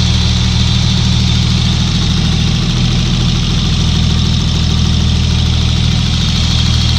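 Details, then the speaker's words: Swapped engine idling: a faint, quick, repetitive light tick rides over the low rumble and gets stronger with rpm when the throttle is blipped. Owner thinks it comes from one area of the engine; cause not yet found. "parce que dans la vidéo on entend c'est bien le bruit c'est vraiment pas vraiment un plus synthétique qui se répètent vraiment il reste autant comme ça et juste quand j'accélère le tube tik qui s'intensifie avec les tours minute"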